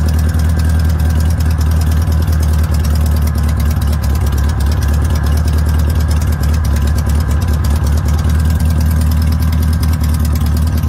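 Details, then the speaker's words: VW Notchback, sat since June 2020, with rebuilt/cleaned 32 PHN-1 carburetor lacking accelerator pump parts: deep steady drone held fast, never settling to a slow idle; idle deliberately set high. "so one of the problems with these old 32 phn one is you can't get an accelerator pump or the uh piece for it so get up there i have the idle set kind of high"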